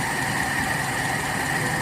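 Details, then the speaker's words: Toyota Kijang Kapsul 7K after carburettor setting, warmed until the thermostat opened: steady, even idle with no misses, stumbles or ticking; smooth, healthy warm idle. "Anda dengarkan, enak sekali menurut saya stasionernya ini."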